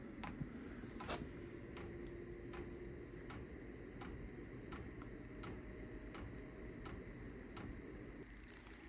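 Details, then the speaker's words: Chinese diesel heater (VEVOR controller) bench-tested before installation in a trailer, not primed first: soft regular ticks about every three-quarter second over a quiet fan hum as the dosing pump pulses fuel; normal operation. "you hear that the fans running pumping yet usually takes a minute for it to start pumping oh that's pumping now"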